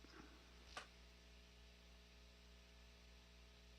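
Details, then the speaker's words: Constant low electrical hum with faint buzzy overtones in the audio chain; owner suspects mains pickup or ground loop from power and audio/video cables crossing each other, possibly the router in the next room; not confirmed. "have uh Power and audio video cables that are crossing each other uh where I had it so until I get that redone"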